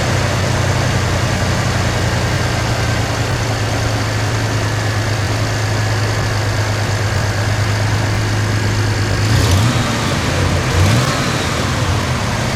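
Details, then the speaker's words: 1991 Chevy S10 pickup after starter replacement and new distributor cap and rotor, running five days and driven to work: steady even idle, no misses, knocks or hunting, a couple of brief blips; engine healthy. "It is running now. It's been running for about 5 days. I drove it to work today for the first time. It runs great, so we're going to hook the camera up here and start this thing up, and that will be our closing video for this."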